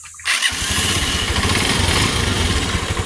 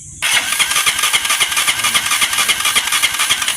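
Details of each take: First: TMX 125 motorcycle with hard starting, after converting to a battery-operated CDI: engine fires on the first try and settles into a quick, even single-cylinder idle; starts and runs cleanly. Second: TMX 125 motorcycle, hard starting then sudden no spark: starter spins engine at about four even compression pulses a second but never fires; high-tension wire spark very weak, stator primary wiring checked next.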